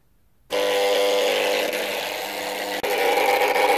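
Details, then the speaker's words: Electric roller shutter motor goes down but strains to go up: steady buzz with a rough grinding edge, after a strange noise for some time; the capacitor measured 0.4 µF instead of 4 µF and replacing it fixed it. "la persona ya llevaba un tiempo haciendo un ruido un poco raro como que tal pero funcionaba entonces no le decíamos mucho caso pero ya el ruido ya era raro desde hace tiempo"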